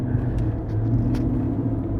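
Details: GMC Denali on a road test: a steady low drone at constant pitch over road rumble while cruising; a humming differential is suspected, not confirmed.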